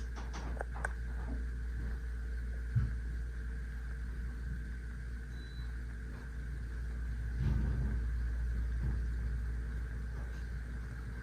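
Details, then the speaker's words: Old 52-inch Encon Contempra Supreme Hugger ceiling fan with a spinner motor, on low speed via a Lutron Skylark 3-speed control: faint steady motor hum with a thin constant tone. "This one's actually more quieter than the first one because it runs on a 3-speed control, a Lutron Skylark 3-speed control. But this one still makes a humming noise."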